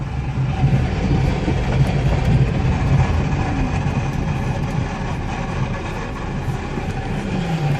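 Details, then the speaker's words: 1999 Plymouth Neon in gear (reverse, then first), also has a bad motor mount and rear strut noise: an uneven, clattery rattle over a low idle, loosely about three a second, that quiets once warm; likely a worn transmission bearing, and the car needs a transmission. "Oh, you can hear that sound. Put it in first, you can hear it again. It actually gets quieter after it gets warmed up."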